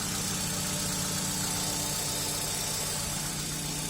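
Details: Hyundai Elantra XD engine at cold idle with a light, quick ticking about four times a second from the hydraulic lifters; the tick is present when cold and gone when warm.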